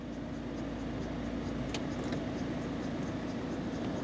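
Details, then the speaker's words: 2003 Peugeot 207CC diesel, engine idling, roof being lowered. The hydraulic pump whirs evenly without straining, knocks or grinding: normal folding-roof operation. The engine chuffs slightly; owner suspects an injector seal. "I think you've got to press and hold this one it's making all the right noises"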